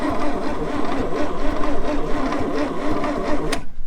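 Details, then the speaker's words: 1962 Chevrolet Impala 235 inline-six, sat 25+ years, new battery cable, cranked via remote switch at starter solenoid: even starter churn about four beats a second that never catches; cranks well but no start, no wire to coil positive. "obviously it's not going to start i've got no no wire to the to the positive side of the coil but hey that's a pretty good sign she cranks and she can't cranks real nice"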